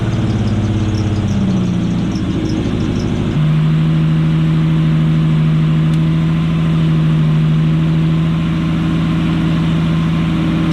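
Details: Nissan Cefiro RB25DET turbo straight-six idling with a steady drone but uneven, lumpy beat; one cylinder dead with no spark because a coil pack wire was cut, explaining its long-running mysterious miss.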